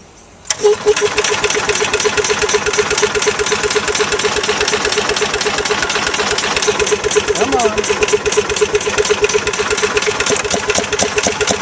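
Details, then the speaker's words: Bolens 1250 with its original Wisconsin S12D single-cylinder engine, governor spring tension adjusted and a fuel pump gasket leaking. It catches right away and runs an even, quick beat with no misses or knocks. "I'm gonna see if I can just start it up again and show you how well this Wisconsin runs"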